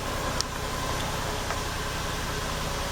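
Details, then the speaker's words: 2000 Lexus RX300 with P0300, P0302 and P0304 codes, flashing check engine light, after swapping coils: uneven stumbling idle with irregular dips; misfire moved to cylinder 4, confirming a failed ignition coil. "as you can see cylinder number four is misfiring now so that's definitely going to be the problem"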